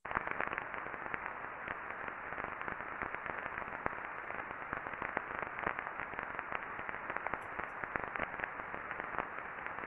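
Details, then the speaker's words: Roll mill motor non-drive-end bearing in a paper mill, ultrasound reading on the bearing housing before greasing: constant dense crackling with random sharp pops from friction due to lack of lubrication; greasing made it much smoother. "everyone should be able to hear that Telltale crackling of the friction"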